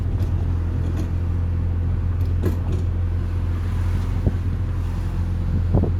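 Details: 2007 Audi S3 8P recently fitted with coilovers, driving over bumps: steady road rumble with dull irregular knocks from the left rear suspension; owner suspects top mounts.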